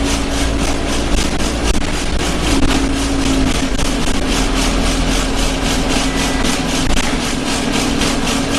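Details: Arriva Yorkshire Alexander Dennis Enviro 200 bus 1065 (YJ09 CVD), recorded on board on service 283 from Bradford to Batley: a heavy diesel drone with a rapid, steady rattling pulse. A loud vibration somewhere in the bus, source unknown.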